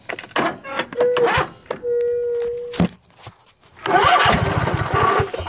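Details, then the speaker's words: Craftsman YS4500 tractor, Briggs & Stratton 22hp Intek OHV twin, sat a couple of years, on jumper pack: stumbling starts then rough, surging running; runs well only with choke mostly on, indicating carburetor restriction from sitting. "So, choked out, runs well. Choke in. Runs terrible. I go down to almost all the way on. So anytime you see something that likes to run with the choke mostly on, you have a restriction in the carburetor."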